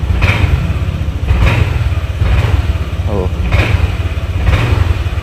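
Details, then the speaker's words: Honda Vario 150 scooter before repair: idles normally but on throttle it delays and stumbles, surging and sagging about once a second; misfire (brebet) traced to spark plug cap arcing. "Nah, ketika kita tarik gas, nah ini tuh jadi kayak delay gitu, guys. Nah, tuh jadi kayak ngeberbet banget gitu lah."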